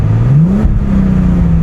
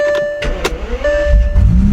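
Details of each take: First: 2005 Bentley Continental GT W12, AWD, long-sitting car earlier firing on 6 of 12 cylinders, now fixed via dead battery diagnosis; idles slightly rough but revs climb cleanly and evenly on throttle, then hold a raised idle, no misfire; smooth throttle response. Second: 2005 Bentley Continental GT W12, sat for years, previously firing on only 6 of 12 cylinders, started after dead battery dealt with: catches after whirring, low idle with slight uneven pulses, sputtering a little; rough running after long storage.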